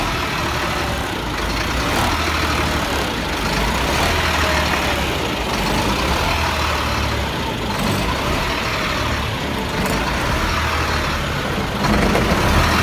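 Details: 1999 Freightliner diesel with hard start/no start, blue-gray smoke; heavy idle swelling and sagging every couple of seconds, then stalls; suspected bad fuel pressure sensor, not confirmed.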